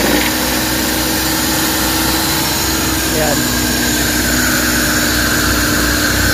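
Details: Suzuki DA64/DA63/DA17 small petrol engine that vibrated heavily with the AC on, after a burnt, overheating wire was replaced, at idle: a steady, even hum with no stumble or shake. Runs smoothly; normal idle.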